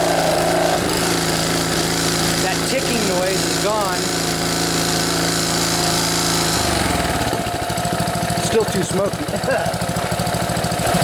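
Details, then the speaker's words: Junkyard Honda GC160 pressure washer engine, overfilled with oil and tipped over, smoking while burning off oil; now runs steady and even with no upper-end valve tick over the exhaust drone, then changes pitch. "uh I don't have that ticking noise anymore so that's pretty good"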